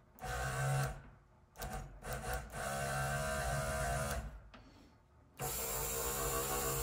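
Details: Bench-run 1964-66 Thunderbird convertible flap transmission electric motor after rebuild; motor whirs in several even bursts with steady pitch, no clicking or grinding; flap drive sounds smooth, normal operation.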